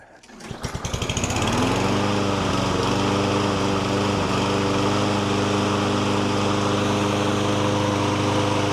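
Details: Lawn mower after STABIL Fast Fix and Start Your Engines treatment for surging and hunting: it catches on the pull and settles into a steady, even beat that holds without surging, now running properly.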